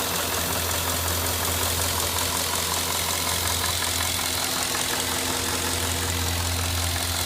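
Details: Cadillac Northstar 4.6 V8 at hot idle: faint, irregular light ticking rides over the hum; the intermittent clicking occurs only when the engine is hot, cause not yet identified.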